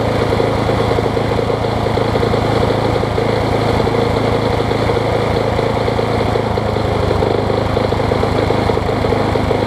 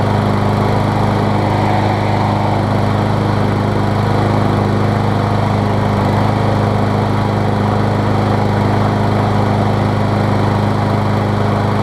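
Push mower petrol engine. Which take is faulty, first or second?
first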